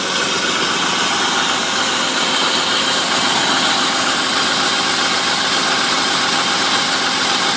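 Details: 1995 BMW E36 325is, M50 engine, warm idle below ~1000 rpm: constant tinny, buzzy teeth-chattering metallic rattle, heard only after warm-up, source unknown; owner wonders about VANOS.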